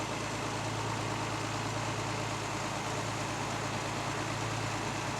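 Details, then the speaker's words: 1968 Mercedes 280 SL Pagoda, M130 straight six, just started: fires up quick, then a low, even idle hum with a steady soft pulse and no misses, knocks or ticks. Runs so smooth a coin balanced on the engine stays put. "let's go ahead and fire this up and show you how well it runs fires up quick and you can just see here how smooth this engine runs"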